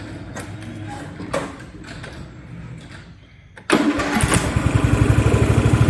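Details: Free Craftsman riding mower (part 917.273760), after a carburetor and fuel fix, running outside: a lumpy surge that rises and falls like a hit-and-miss engine; it blows a little oil, and a rich mixture or fuel starvation is suspected but not confirmed.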